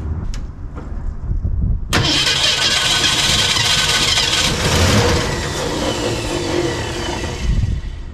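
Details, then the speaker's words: 1965 Ford Mustang, C-code 289 converted to 302 V8, newly replaced starter, gas fed in for first start: starter churns, engine catches roughly in uneven bursts but never idles; owner suspects shot carburetor with leaking gasket, plans new carb. "so I think the problem here is it's wanting to kick over but carb is just done it's bad news"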